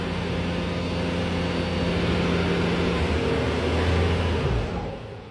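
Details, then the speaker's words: Bobcat T590 common rail diesel at full throttle with auxiliary hydraulics on, injector code thrown; hard drone sags and dies after about three seconds as rail pressure collapses; injectors 1 and 2 leaking, biodiesel blamed; engine stall under load from faulty injectors. "turned right off so can't even maintain rail pressure so it's looking like one and two aren't looking too good"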